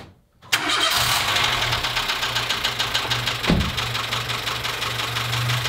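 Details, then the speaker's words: Dacia Sandero with Renault D4F 1.2 petrol engine, heard through a stethoscope-type recorder: cranks and catches, then rough idle with uneven tapping knocks from inside the engine; owner suspects low oil and possibly a spun bearing, unconfirmed. "put the headphones on and we'll see if we can get a recording of this engine knocking sound so here we go"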